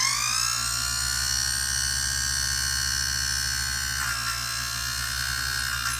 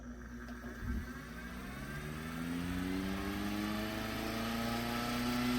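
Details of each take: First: 1930s Robbins & Myers vintage fan, first test on a makeshift plug after restoration, gearbox off, fan and cage not fitted: a high thin squeal that climbs as the motor spins up, then holds with faint scratchy ticking; brush holders or gears suspected. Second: Restored 1930s Robbins & Myers vintage fan, freshly cleaned, greased and reassembled with new wiring and plug: a smooth whir rises evenly in pitch to speed and holds steady, no rubbing or clatter; normal running.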